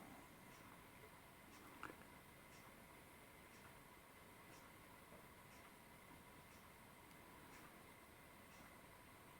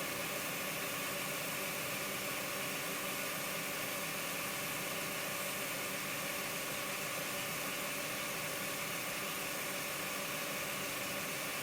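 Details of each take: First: Accurascale Deltic model locomotive with a swapped DCC decoder, run at crawl speed: a faint whir with a soft tick about once a second. The flywheels are not rotating freely, so the motor binds and judders at low speed. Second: Model locomotive motor with a DCC decoder from another loco, at full speed drawing about 0.2–0.3: smooth, even high-pitched whir with no surging or catching; normal motor running.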